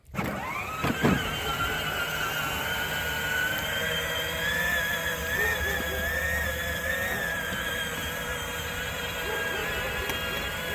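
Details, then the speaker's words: Peg Perego John Deere Gator ride-on, DeWalt 20V powered, after motor replacement running in slow with a steady, even electric whine; previous terrible noise is gone. "I'm pretty sure it doesn't make that noise yeah fixed it"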